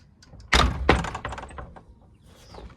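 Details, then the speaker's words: Arrow 303 door closer on a gate with a lock on the skate: gate swings shut quickly and lands with a hard bang and second thunk; closer set to quite a fast closing speed. "It's on quite a fast speed."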